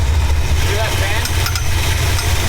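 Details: Long-abandoned 1969 Dodge Charger V8 running again, idled down with the alternator now charging; deep, steady idle rumble with an even beat and no knocking or ticking. Right afterward a fully rusted-through freeze plug was found, blamed on sitting so long.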